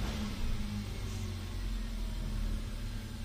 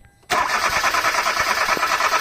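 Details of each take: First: 2012 Hyundai Accent automatic that cranked without starting for a week; after replacing the fuel pump O-ring, it runs with a quiet, steady idle and no misfire. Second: 2012 Hyundai Accent automatic, not started for a week: starter spins the engine at a steady whir but it never catches; weak fuel pump spraying without pressure so injectors can't open.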